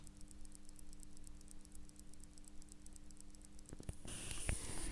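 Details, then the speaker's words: Seiko 6139A chronograph, balance with no amplitude: faint, very rapid ticking about four beats a second, then handling noise; balance racing because the hairspring coils are sticking, fixed in the repair. "what I can tell you before I show you is it's all to do with the hair spring so the hair spring on this balance here is sticking"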